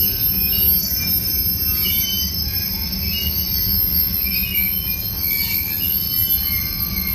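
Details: Union Pacific 6644 freight train leaving Mesa Yard: sharp steady high-pitched wheel squeal over continuous rumble of rolling cars; squeaking and clanging made it stop, cause not stated, later fixed.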